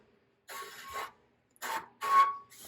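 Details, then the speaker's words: Crashed carbon aero bike wheel with glued-on tubular tire spinning in a truing stand: light scraping rubs once per turn, alternating left and right as the rim hits the indicators; warped wheel rim. "If I bring the indicators in, even if you can't see it, you can hear it. It hits on the left and it hits on the right."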